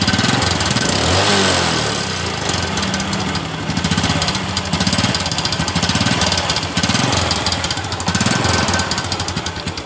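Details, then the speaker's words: Honda Absolute Revo motorcycle, cold idle: rough uneven rattling clatter loudest at right crankcase, owner says metallic noise usually disappears when hot but sometimes returns. "dan kata pemiliknya juga ketika motor ini sudah panas suara yang semacam bunyi besi yang terlepas seperti itu biasa hilang dan terkadang juga suara itu muncul seperti ini"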